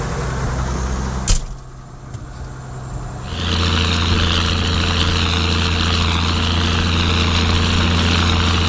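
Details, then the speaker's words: Ford TW diesel tractor ploughing on a windy day: after a brief knock and a dip, it settles into a steady, even drone under load; it is pulling cleanly and running healthy. "T-dubs just purring away. That sound good, she does, she does sound good."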